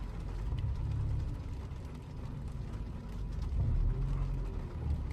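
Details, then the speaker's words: About 2016–2017 Toyota Camry 2.0 D4S with port and direct injection, throttle blipped at idle: low rumble surges and sags unevenly, stumbling as the direct injectors engage and smooth off throttle; a failing direct injector suspected. "พอหัวฉีดd4เริ่มขยับนะครับค่าการฉีดเริ่มขยับปุ๊บสะดุดตึ๊บๆๆๆๆๆแสดงว่าหัวฉีดd4sเ่ะมีปัญหาอยู่สักหัวนึง"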